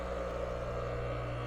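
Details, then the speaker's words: Husky Pro air compressor motor, bought new in 2007, that failed and was removed for bench testing, run unloaded with the belt off and the mount loose; quiet steady hum and soft whir, no excessive noise, vibration or heat, turning counterclockwise: runs smoothly. "Nice and quiet. No excessive noise or vibration. I don't even have the mount tight because I haven't put the belt on yet."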